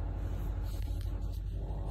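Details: Engine that was shaking with the check-engine light on, after replacing the ignition coil set: a low, even rumble with no misfire stumble or shake. The check-engine light is gone and the idle is healthy.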